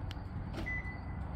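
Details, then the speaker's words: 2013 Toyota Land Cruiser 200 Series, 228k miles: quiet idle hum, then one short high lock confirmation beep as the doors lock, so the lock actuators are responding; one door's actuator is believed not to work. "the way to tell is to lock it make sure you get some feedback and then we can walk around the car and make sure all the doors are"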